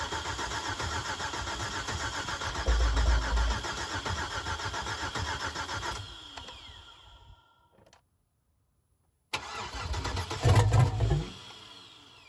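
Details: 2005 Chevrolet Suburban LS donor on its first start attempt, gauge reading out of gas with a little fuel in. Steady starter churning about 3.5 beats a second, a pause, more cranking, no firing; extended crank, no start.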